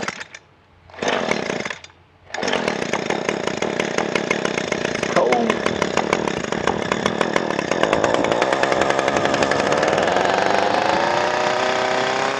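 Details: Echo SRM 225 two-stroke trimmer with cheap aftermarket carburetor, no adjustments: a couple of pulls, then it catches and settles into a steady high buzz climbing smoothly without stumbling; ran as well as the original carburetor.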